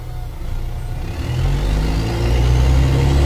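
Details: Mercedes-Benz O-500MA bus, VB Transportes no. 1562, with holed exhaust: deep diesel idle with loud raw chuffing pulse about four per second, harsher than normal; exhaust leak.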